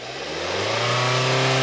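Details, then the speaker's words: 2020 Hyundai Tucson 2.4L that would not rev over 1000 rpm or upshift with code P1326 (flashing check-engine light). After clearing the code the engine climbs smoothly and freely from idle, pointing to a failing sensor. "You see how even the RPM changed because I cleared the code. So that sensor is failing."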